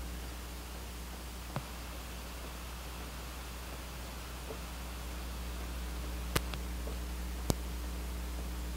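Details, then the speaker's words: Pioneer GM-D8604 class-D amplifier, bridged, gains at zero, crossovers off, no RCA inputs connected: steady faint hiss with low hum and no signal; turning gains up doesn't really change the hiss. "really hope the camera's picking that up but I'll turn the gains up and show you that it doesn't really affect the hiss"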